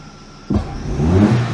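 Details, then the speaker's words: Geely CK2 1.5L with LPG fitted, after a valve adjustment, with a camshaft sensor error, long starting and suspected wrong timing marks, where a sensor replacement did not help: on revving the note stumbles unevenly as if two cylinders drop out. "так щось довгенько вроде вроде робло прям дуже сильно Таке як як два циліндра якись відмовляє"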